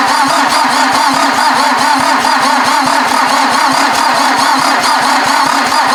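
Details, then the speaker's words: VW diesel in an offroad Mazda cranked via jumper cables to the starter, no battery: even churning about one compression pulse per second, never catches; number one glow plug missing. "I was cranking it and cranking and cranking it I managed to get fuel 2 2 & 4 just barely 1 & 3 had no fuel the injection pump was not pushing any fuel"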